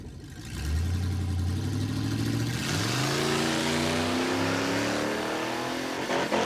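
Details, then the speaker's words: V8 drag run off the line. Revs climb and hang at the rev limiter, pitch rising instead of dropping into the next gear; the transmission shifted to second but did not engage, so it sat on the limiter. "Oh, he's on the rev limiter. It shifted to second, but it didn't go. And it hit the rev limiter."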